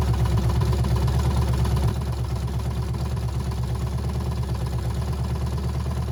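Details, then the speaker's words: Abandoned 350 small-block V8 sat for years, 1985 K5 Jimmy frame, open exhaust, manual oil pressure gauge connected: even loping idle about three pulses per second, no lifter knocking; normal idle. "then it didn't sound like any of the lifters were knocking or anything"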